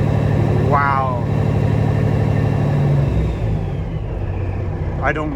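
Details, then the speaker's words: CAT C15 MXS truck diesel, dead cold, on its test run after the internal injector wiring harness was replaced to chase an idle shake. It holds a strong, even drone at raised revs, then eases down with no stumble or shake. Smooth running. "wow she run smooth even up there look there's no shake nothing I mean the engine's dead cold right now"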